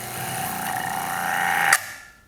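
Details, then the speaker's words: Kranzle electric pressure washer (K1622TS or K1122TST with total stop) switched on with no water flowing: motor hum climbs as pressure builds, then a clack as total stop shuts it off; normal startup and auto shutoff. "now what's gonna happen when I turn this on because there's no there's no water flowing through it's gonna build pressure and then this is gonna kick and turn it off"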